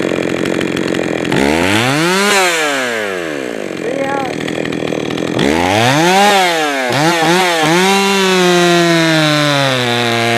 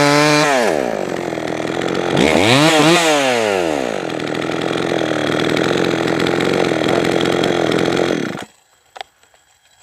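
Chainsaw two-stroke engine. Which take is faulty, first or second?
first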